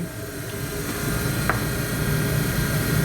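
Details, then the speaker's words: 1954 Mayflower oil furnace after the burner repair and air damper adjustment, giving a nice constant flame: steady, even roar with a soft low hum and no pulsing or rumble. It is now very quiet and fires smoothly. "this thing is so quiet now it sounds better than we can almost not you can't even hear it over here now"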